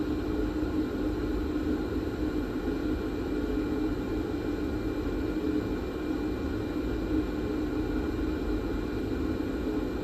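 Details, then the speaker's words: Nakamichi DR2 cassette deck capstan motor before its bearings are oiled: a loud, steady whirring hiss with a constant hum, far too noisy for a small motor, from dry bearings. "Now we need to desolder this board to open motor and have possibility oil both bearings in it."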